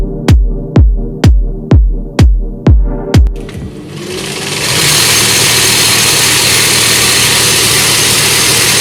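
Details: Singer 20U zigzag sewing machine: music beats give way to the machine running with a loud, harsh, rattling clatter; the wheel moves in and out with play, from a loose cam on the main shaft.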